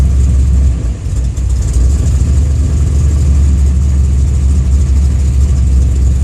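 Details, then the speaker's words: Car with newly installed FAST fuel injection, warm, ECU and harness moved out onto the fender: low uneven idle sags and hunts, barely catching; even slight throttle dumps too much fuel, running far too rich and surging. "see it got really fat then you you heard a car surge it'll crack itself once it settles down"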